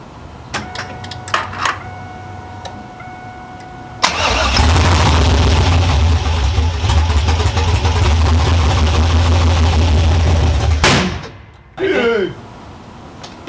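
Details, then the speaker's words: Pontiac Trans Am with freshly built 6.0L V8, cammed, open headers and no exhaust, first start: brief crank, catches at once with a little gas, loud choppy poppy idle before stalling; normal first start with lumpy cammed idle. "And I gave it a little bit of gas and it fired right up and it sounded poppy. Yeah, it did. It sounded cammed. Yeah, it sounded hella cammed."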